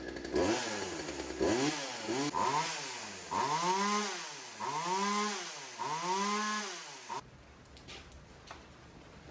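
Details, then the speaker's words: Old Craftsman two-stroke chainsaw, primer pumped, choke on: revs up and drops back repeatedly, pitch rising and falling cleanly, no stumbling; runs healthy, later tuned on the carburetor screws. "So we got another one running. We're going to chalk that up as a win."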